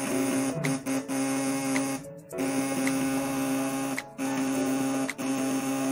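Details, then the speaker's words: 3 kg machine with jumbo platinum contact points tested before shipping at 24 V, about 1200 W load: steady clean electrical buzz with brief switching gaps, louder than standard points but normal under load. "jadi suaranya standar platina cuman dia agak lebih nyaring ya"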